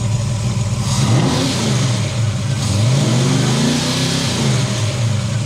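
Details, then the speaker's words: V8 with cheap Summit Racing distributor, running again after a failed distributor was fixed by replacing a roll pin. Smooth rev rising and falling twice, steady firing, no misses, knocks or rattles; normal revving. "So yesterday this was disabled at the bottom of your hill, and by replacing a roll pin, she's good as new."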